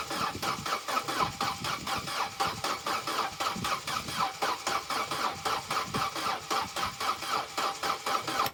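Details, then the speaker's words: Vauxhall Corsa B sat neglected 4-5 years, fresh fuel added, battery 12.4 V; cranks about four beats a second, slow on one stroke then three quick, somewhat faster than before, never catches; uneven cranking, no start. "now that's interesting cuz that sounds a little better it's still doing that thing of sort of being slow and then doing the other three quickly but that does seem to be spinning faster"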